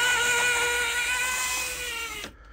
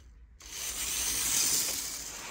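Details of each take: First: 1980s Hornby APT model, motor in the centre car on track under power: a thin, high, buzzy whine that sticks, drops out and returns, showing a weak motor with a worn armature. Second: 1980s Hornby APT model train test run after a ringfield motor upgrade kit replaced its worn armature; a light, high-pitched whir starts abruptly, swells with power, then eases. The new motor runs smoothly, freely and very sprightly.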